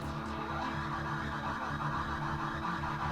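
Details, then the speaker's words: 1968 Toyota Stout EV conversion, ME1004 motor on a repaired PWR 100A controller, bench power: steady, even low hum as the motor spins the wheels; running smoothly. Owner thinks it needs more amps. "a very strange sound I can't tell whether it's moving I don't know is that just the sound of oil seals without an engine when you can actually hear it I think we might actually have business I think this might be working amazing"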